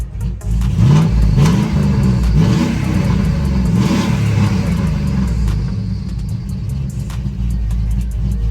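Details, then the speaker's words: Chevrolet Trailblazer SS V8 with freshly built motor and Texas Speed Tsunami V2 cam, electrical issues: revving with a quick light chirp about four times a second from the accessory belt drive; owner suspects the alternator, rest of pulleys seemed fine, unconfirmed. "yeah that's that chirping I probably it's probably the alternator I'm not gonna lie because the rest of the pulley seemed fine"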